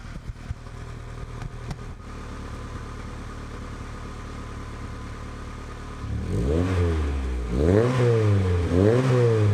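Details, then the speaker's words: Honda Integra DC2 with new Tanabe Hyper Medallion exhaust, joints sealed with no leaks, warming up: even idle then three quick clean blips, deep solid non-raspy note no louder than stock. "so how good does that sound it's not like an obnoxious sound at all it's like a just like a really solid sound if that makes sense like not raspy"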